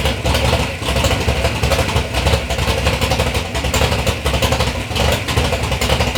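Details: 3rd-gen Camaro big-block Chevy V8, first start after years of building: loud lumpy idle with steady throttle blips, deep even pulses, no knocks or rattles; normal running, sounds healthy.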